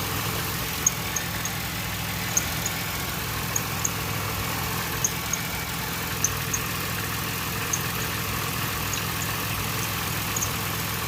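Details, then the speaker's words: 2006 Pontiac Grand Prix 3.8L V6 idling after a coolant top-up for a radiator leak, heater on, bleeder open: shaky uneven idle with faint irregular ticking over low hum; might have a blown head gasket because of a lot of coolant bubbles. "Well, I think she might have a blown head gasket cuz that's a lot of bubbles."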